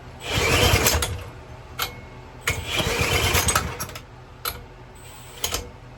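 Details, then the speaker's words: 2000–2005 Power Clean 2000 PSI pressure washer with 3.75HP Briggs & Stratton engine, run on brake cleaner: short firing bursts that die within seconds, won't stay running. Carburetor and gas tank need cleaning; crankcase vent hose is cracked. "Oh, come on. You got it in you. Won't stay running."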